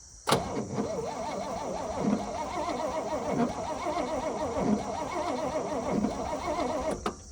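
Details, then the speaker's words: Mid-1950s Chevy 6400 two-ton dump truck, believed 327 engine, newer coil, cap and wires, in neutral, long-sitting with gas found in the oil: starter spins it in an even, pulsing rhythm for about seven seconds but it never fires; crank, no start. "So the first thing I always like to do is grab the keys if it has any and crank it over just to make sure that it actually, one, cranks, and two, if I get lucky with all the forces of the universe, it'll start and I don't have to do anything."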